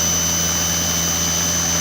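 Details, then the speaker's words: Salvaged washing machine motor bench-tested with voltage turned up: steady high-pitched whine with rushing airy roar like an aeroplane, smooth, no rubbing or knocking; normal high-speed running. "sounds like an aeroplane going off now"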